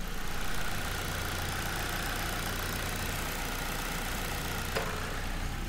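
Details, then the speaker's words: Copart auction car, oil level uncertain: low, even idle burble at constant speed, no ticking, knocking or stumbling; engine sounds good. "no i think the engine sounds really good now here let me take this off and you folks can hear"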